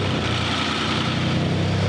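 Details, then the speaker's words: Ford F-150 rebuild, first start after a new frame install with some items still unhooked; starts first try and settles to a steady, even, deep idle with no knocks, ticks or misfires, normal idle. "start right up there we go wow that's awesome first try that means everything's working so good"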